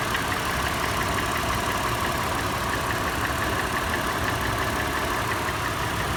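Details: Toyota FJ after a warm start, at idle. Initial clattering changes to a distinct, slower, sharp metallic tap, roughly two a second. Tapping is faster in park and neutral, slower under load in drive, and present when decelerating from 1800 rpm. Source not found.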